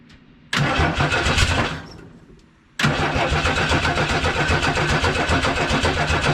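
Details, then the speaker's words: 1979 Ford F-150, 300 straight-six, C4 automatic, on starting fluid: short crank burst dies, then more cranking catches and runs roughly; hard start, owner suspects it needs fuel in the carb. "and you can tell she wants to go I think a little gas for the car might be more effective than starting for it"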